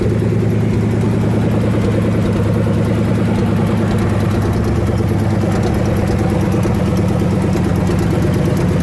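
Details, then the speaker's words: Loud idle with lumpy, uneven pulse while injectors are unplugged one at a time, number 4 usually troublesome; firing drops in and out, owner suspects cylinders quit firing under load; misfire, cause unconfirmed. "I think what's going on when I'm driving it, they quit firing under load"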